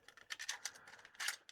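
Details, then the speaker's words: Damaged-looking MiniDisc recorder from an untested eBay joblot, powering up after a battery problem: quiet, irregular ticking and scratchy clicks repeating in bursts as it searches, apparently for the table of contents. Owner suspects a dirty lens and plans to clean it. "I think what we'll do is clean the lens on it, because it was definitely doing a search there, like it was looking for a table of contents."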